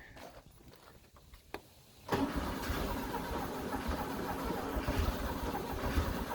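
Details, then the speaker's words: 1974 VW Beetle 1641cc engine after install while timing and idle are tweaked: quiet cranking, then catches and settles into an uneven low idle; hard starting, choke not closing suspected. "not having the choke closing is definitely not helping us for sure"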